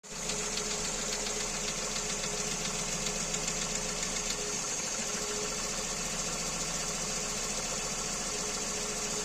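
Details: Kia Rio 2 with a G4EE engine: a fast, rough ticking knock about two to three times a second over a steady idle, with a thin hiss on top. Engine knock, cause unknown.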